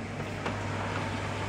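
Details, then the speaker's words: Thema wall-mounted gas boiler being repaired for a low-water fault after servicing, heating turned to maximum for testing: a steady low hum as the pump starts, a brief click from the ignition electrode, then a soft rush as the burner lights. "C'est la pompe qui fait ce bruit là? Ouais, t'as la pompe Ah. qui a démarré, on entend l'électrode et là elle est partie."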